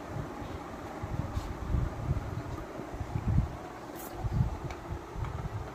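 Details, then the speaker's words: Orient water cooler after repair of its completely rusted body, with the motor section, water pipeline and back cover refitted: steady low whooshing rumble with even airflow, no knocks or rattles; the cooler runs normally. "तो देखिए cooler चालू हो चुका है।"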